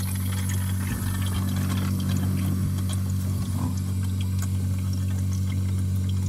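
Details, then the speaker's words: One-door refrigerator not cooling, running, heard at the evaporator; steady low compressor hum with faint irregular liquid gurgles; refrigerant flowing normally into the evaporator. "di sini di bagian evaporator e di bagian metil di sini udah masuk ya ini ada suara gemericik metil"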